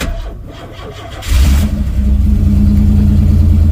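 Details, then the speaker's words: 1994 Pontiac Firebird 4th gen, sat about four months, started after adding about 5 gallons of gas: brief crank, catches at once and settles into a steady even idle with smooth low rumble, no smoke; clean start. "That was easy! No smoke, huh?"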